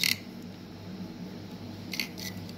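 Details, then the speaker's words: Eight-year-old Transcend StoreJet 25 Mobile external hard drive, not recognized on laptop, LED keeps blinking; opened, faint steady platter spin with sharp scratchy bursts as heads scrape the disk: head crash, drive dead. "இந்த hard disk data ஏன்னா இதை தான் வந்து head கிராஷ்ன்னு சொல்லுவாங்க head வந்து நமக்கு ஆட்டோமேட்டிக்கா போய் நம்மளோட டிஸ்க்ல கிராஷ் ஆயிட்டு இருக்கு"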